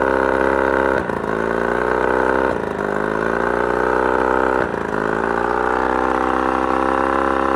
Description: Hoping for a solution to the mid throttle misfire on this outboard motor. Runs great otherwise, but random misfire or cough almost cuts motor off.